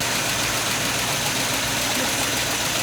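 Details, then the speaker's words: 1989 Sea Ray 340 express cruiser, engines at about 2,000 rpm on the lake, possibly old gas, burning-rubber smell: loud hissing rush over the engine; exhaust leak at the manifold or muffler, engine not overly hot, needs fixing. "not overly hot oh that manifold is that Muffler's leaking back there he so we have a bit of an exhaust leak so we're not going to go too far fast tonight"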